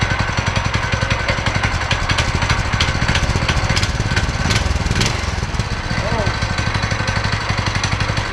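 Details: Go-kart single-cylinder engine running after torque converter and belt installation, before seat refit and test drive: quick, even thump with a brief rev mid-clip, settling back smoothly; normal running.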